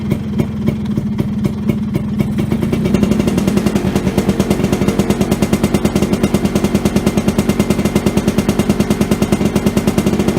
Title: Vespa Sprint Veloce. First start after repairing harness...